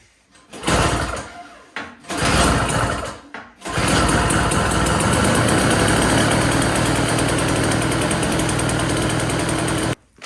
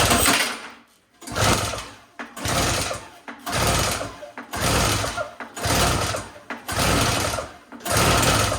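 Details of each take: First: Yard Machines 21-inch single-stage snowblower, customer no-start, after cleaning carburetor jet and adding gas: a couple of pulls then steady even small-engine buzz about six seconds before shutoff; runs well. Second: Yard Machines single-stage two-stroke snowblower (50:1 mix) with starting fluid sprayed into the carburetor: sputtering bursts about once a second, each catching briefly and dying; fires only on starting fluid.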